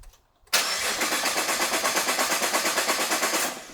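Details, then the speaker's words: Rebuilt 2014 Nissan GT-R, fuel pumps disconnected from power to depressurize lines before fixing a fuel leak: starter cranks evenly, about three pulses a second, for three seconds without firing; no fuel delivery. "So with this fuel pump's disconnected from power, when we attempt to start the car, what fuel is in the lines might make the car start, but it should quickly die. And then if we try to start it again after that, it'll just keep trying to turn over with no success."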